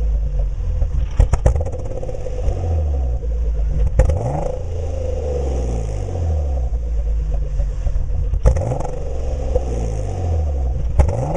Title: 2004 g35 reving haltech rc 750cc greddy tt hks exhaust- misfire issue